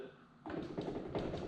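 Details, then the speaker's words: 2014 Yamaha R1 wrecked after hitting a deer, front end lifted and rocked: a few dull hollow clunks about three a second as the whole front end moves fore-aft and side to side; suspected damaged steering stem bearings, to be replaced. "I was messing around with the front of this bike a little bit and when I lifted the bike up and started moving a few things this is what I found you can hear it and you can see these whole this whole front end is moving forward moving back this is super loose in the front end and it also goes side to side a little bit"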